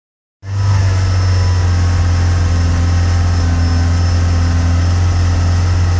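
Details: Peugeot 106 GTi started from cold: low uneven idle with irregular stumble; misfires and cuts out unless revs kept up, clears above about 5,000 rpm and runs fine once warm; began after a hard downshift to second; new temperature sensor fitted; cause unknown.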